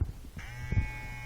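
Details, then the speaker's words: Philips electric hair clipper hums but does not cut: motor spins with a steady light buzz and thin whine while the blade stays idle, because the eccentric is slipping on the motor shaft; fix is notching the shaft and cold-soldering the eccentric on. "первое На что надо обратить внимание прокручу крутится ли у вас вот данная часть которая называется эксцентрик возможно она у вас прокручивается как прокручивалась У меня"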